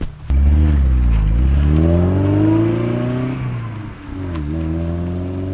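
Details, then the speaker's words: 1971 BMW 2002 E10, two-owner car, while cruising: the engine pulls cleanly, pitch climbs and drops at each shift with an even tone and no knocks or grinding. Normal running through the gears. "like the sound of these cars the way they uh the sounds going through the gear sounds nice"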